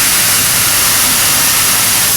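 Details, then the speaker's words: BluePrint Automation robot teaching the low pick position on a KD stack height laser sensor cell. As Z is jogged down onto the KD, the suction-cup vacuum switches on with a steady, even airy hiss and no pulsing: a normal vacuum grip. "And now you can hear the vacuum turned on in the suction cups of the robot."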